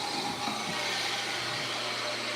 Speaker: I got some wood stuck in there. You hear that blade whining? There's some wood stuck in between the blade and the axle.